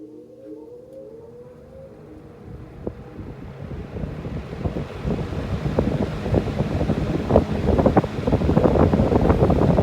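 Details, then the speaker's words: Vintage Berns Air King 20-inch box fan after cleaning and motor oiling, switched to high while watching a meter, earlier unknown noise possibly paper on the windings: airy whoosh builds steadily then runs evenly with no rubbing or rattling; normal on high. "All right, well, let's go to high. Let's watch the meter."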